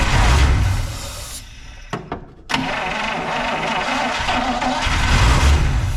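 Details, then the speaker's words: 1953 Buick, cranked on its own fuel system; low heavy starter grind in bursts with no firing while gasoline slowly rises through the fuel filter: cranking, no start from fuel starvation. "starting to see something that looks like gasoline coming up through that filter"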